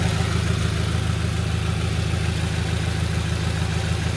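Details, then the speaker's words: Subaru BRZ (same as Scion FR-S/Toyota 86) bought wrecked at Copart, idling: low, even rumble with steady beat, no knocks, ticks or misses; no leaks seen, motor sounds good; AC not working, owner suspects unplugged fan. "I honestly don't see any leaks in the system motor itself sounds good"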